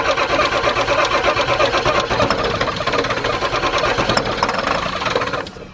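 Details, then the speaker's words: 1997 Ford F250 7.3 diesel, fuel fed direct with filter tube off: long uneven cranking with a few half-catches, knocking and banging, that never take; starter slows as batteries run low, still won't start. "Come on, Ford, you know you want to do it. Ah. Turn the key off, dude. Now we're running our batteries low."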